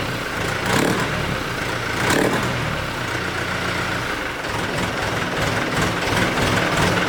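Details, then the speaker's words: 1964 Ford 4000 diesel tractor with a fully rebuilt engine, revved to 1200 RPM: a heavy, uneven, lugging low thump, throwing gray smoke; owner suspects a fault in the injection pump (low-pressure fuel atomization), not confirmed. "however whenever I revved it up to 1200 RPMs you can probably pick up the tractor kind of luggy like you hear it like I don't really know a good way to scrap it other than lugging"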